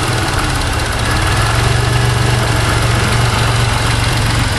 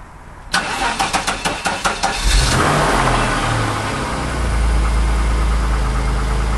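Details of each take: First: 1991 Chrysler LeBaron convertible 3.0 V6, cold start after nearly 7 months sitting through a Minnesota winter, warming up: steady low even idle with no lifter tick standing out, quieter than usual after sitting; normal idle. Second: 1991 Chrysler LeBaron convertible, fuel-injected, cold start after nearly 7 months sitting through a Minnesota winter, new battery: about two seconds of sluggish, uneven cranking before catching into steady idle; owner thought battery sounded low; starter later replaced.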